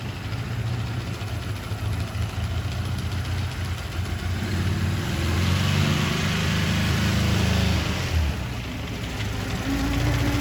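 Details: Ural motorcycle at low idle: uneven rumble with a dull knock at slow revs; owner wonders if generator brushes at low rpm cause it, source not confirmed.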